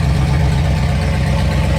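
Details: Supercharged 7.0L HEMI stroker V8 with Whipple supercharger, running during cooling-system bleeding with an electric water pump and a custom double radiator: heavy, deep idle with a steady low rumble and even pulse, no knocks or misses; healthy.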